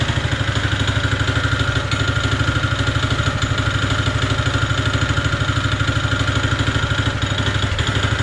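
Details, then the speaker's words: Honda GX160 single-cylinder on a POWER TROWEL M80H concrete trowel idling with a heavy, regular knock every beat over the low rumble; worn connecting rod bearing, clear crank-to-rod knock, machine not fit to run. "відчути явний цокіт між колінвалом і шатуном. Ця техніка не є дієздатною."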